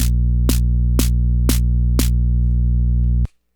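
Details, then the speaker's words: DIY Twin-T drum synth, snare/noise mixed output: loud steady 60Hz mains hum under clicks twice a second, then cuts out; hum confined to the noise circuit, source unknown, TL78L05 regulator not yet replaced. "there's that hum there's a really loud hum now even the noise works right"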